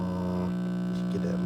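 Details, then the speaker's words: 1947 Travler transformerless AC tube radio, as found, just switched on: loud steady low buzz masking everything, stations still faintly tunable; typical failed filter capacitor letting mains hum through. "So this is a pretty easy fix. This is just your typical filter capacitor failure."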